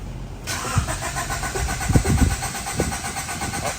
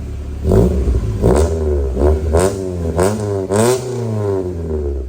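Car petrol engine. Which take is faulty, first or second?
first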